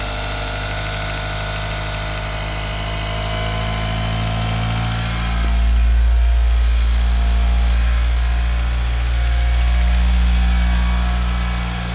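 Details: Mitsubishi Galant VR-4 first start after engine overhaul; steady smooth idle with a deep even hum that swells slightly, no lifter tick, possibly thanks to the lifters soaking six weeks in diesel.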